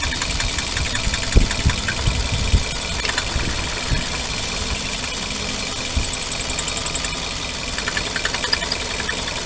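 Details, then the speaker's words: Petrol Suzuki, owner reports a whistle when pressing the clutch pedal to shift gear; thin high whistle over a rattly idle, the clutch release bearing rubbing on the pressure plate fingers. "الصوت هذايا هو البيتي تخدم على حشيه البلاتو يعني الابرج بدا يصفر"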